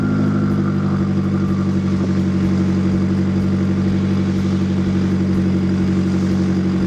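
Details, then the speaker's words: Nissan 240SX with SR20 swap, idling after GTX2860 dual ball bearing turbo upgrade, 850cc injectors, Z32 MAF, FMIC, 340lph pump and new ECU; steady, even, smooth low drone without misses or knocks; no leaks, small audible exhaust leak. "all right so it sounds really good idle is like on point I don't see any leaks I don't smell anything"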